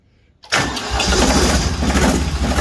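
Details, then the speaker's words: Ditch Witch 3700DD trencher, air-cooled diesel, previously very hard to start, started at quarter throttle after fresh oil: brief crank, fires at once, settles into steady even low rumble; clean easy start. "Wow. Started right up."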